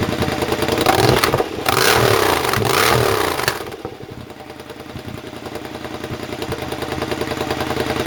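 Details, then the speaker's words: Rebuilt exhaust just fitted to a Triumph: hard revving for a few seconds, then a lumpy idle with crackles in the pipe. The still-connected AIS air injection system makes it run lean and pop; the owner intends to disconnect it. "They're still popping a little bit because the AIS, the air injection system, is still connected. I do intend to disconnect it. That's what causes the popping. It's running lean."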